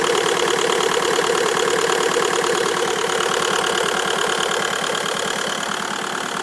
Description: Bruit bizarre ???